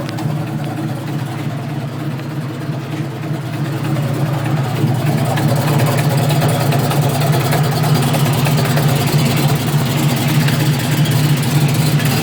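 Idle heard from outside, with a raspy low puffing pulse at about three per second that grows louder as it settles: a leaking exhaust.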